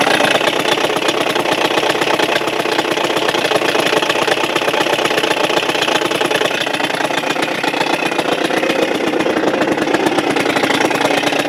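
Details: Suzuki Address 110 engine, loosely sat in the frame with nothing bolted, starts first pull, and a fast, raspy rattle rides over the buzzy idle without letup, unchanged, so the motor must come apart.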